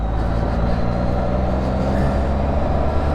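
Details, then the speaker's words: Spyder trike on a test ride at 47°F after service: steady, even low rumble, the crazy grinding it had before now gone, running nice and smooth; normal running. "Before it rolled with some crazy grunging sounds. Now it's just nice and smooth."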